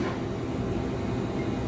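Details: Electrofreeze soft-serve machine barrel back up and running, not low on refrigerant gas, with worn blades and loose rear beater seal: smooth, even low drone from compressor and beater, no knocks or squeals; normal running.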